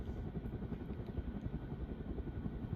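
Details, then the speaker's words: Early-1980s CEC-made Moss Heirloom Olympus 52-inch ceiling fan on high, about 165 RPM: soft steady rumble, faint hum, no ticking or grinding; bearings good, slight motor buzz far less than with variable speed engaged. "Bearings on the fan are still in good shape. Motor still has a slight buzz to it, but definitely not as bad as when the variable speed is engaged."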